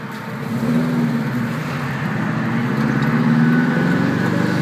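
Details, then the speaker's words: 1973 Saab 96, four-speed manual, first drive after repair: on overrun the freewheel disengages the transmission and the engine note drops toward idle, then it firms up again as the freewheel re-engages. "Hear the freewheel disengaging the transmission, and then it reassumes. It is the craziest thing I have ever felt."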